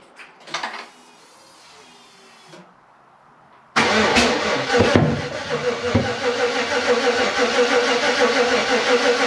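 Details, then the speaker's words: Freshly rebuilt 5.3 V8 in a 260Z, third first-start attempt with coolant added and connectors tightened but no oil pressure seen yet: the starter cranks steadily at about three beats a second for six seconds and never fires. Crank, no start; cause unknown. "Okay, we gotta figure out something. Something's not right."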